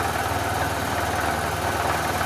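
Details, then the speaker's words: Generator revived after sitting 5+ years with parts missing, bench test-fired on little fuel, makes power: steady low even drone, no surging, but governed speed sounds a little low; owner suspects low RPM, untested; engine running at low speed. "I still don't know if that RPM is quite right. It doesn't Sounds like it might even be a little low."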